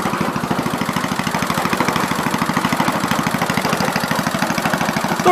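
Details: 1970 Gravely Commercial 8 garden tractor, 8 hp single-cylinder, revived after sitting a few years, still cold before warm-up: thumping at about a dozen even beats a second, no misses or stumbles; running smoothly, normal running.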